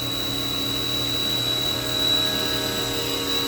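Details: Haas VF-3 vertical machining center, spindle at 5,000 RPM while the table makes linear cross-axis moves at 40 in/min, mic about 8 inches from the spindle: smooth, quiet, even high-pitched whine, no knocks or grinding; normal spindle.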